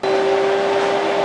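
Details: Steady, smooth radiator fan hum with constant tone, no rattle or wobble, on a 2004-up Polaris Sportsman 500/400. The fan is bypassed and wired to the key switch, and the old burned-out fan was replaced; the cooling fan runs normally.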